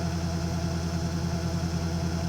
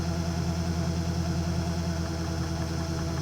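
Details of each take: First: Webasto ThermoPro 90 40,000 BTU hydronic diesel furnace starting; glow plug draws about 20 A at start (about 4 A running): low steady hum with even pulsing clatter; burner is dirty, needs cleaning. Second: Webasto ThermoPro 90 diesel heater at startup, burner somewhat dirty, glow plug drawing about 20 A; steady hum with faint regular dosing pump tick about two per second, fan starting, then fires up normally.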